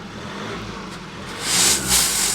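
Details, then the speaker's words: Ex-fleet Ford Transit diesel with DPF and a slightly weak battery: steady idle and two clean, free revs with no bogging and no exhaust blows; DPF not blocked and no warning lights, so it runs normally. "yeah the battery is still a little bit weak but that sounds lovely good stuff mate that does sound well doesn't it there's no blows there"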